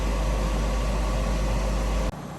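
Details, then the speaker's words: Refrigerated centrifuge with balanced rotor at 3,000 RPM for 10 minutes, pelleting XL1-Blue culture; steady hum with constant clean whine, no wobble, rattle or rumble until it cuts off; normal operation. "When we see the RPM going up fast, you can hear it humming the whole machine a little bit. Now we're at 3,000 RPM, and it will go for 10 minutes."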